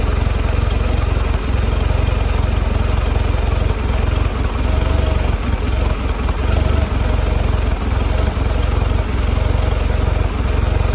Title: 2022 Mercury 150 rough idle